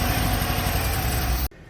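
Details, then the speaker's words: Engine running with throttle position sensor unplugged (0.04 V signal); uneven, stumbling, misfiring idle with shaky low rumble, then cutting off. "have our you know sensor unplugged right there and it's running like complete hot garbage we're getting a very you know not the most you know best reading right now so again like running my garbage you can hear something that's a misfire"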